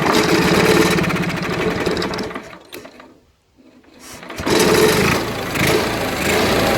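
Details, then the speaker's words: Onan 4 kW carbureted gasoline motorhome generator not starting, gas poured directly into carburetor: engine catches and roars briefly, dies to near silence, picks up again, running only on primed fuel, proving spark. "this is pretty much by putting a bit of gas into the carburetor that pretty much solves a lot of problems if it starts because if it starts even if for just a little bit that means that there is spark there"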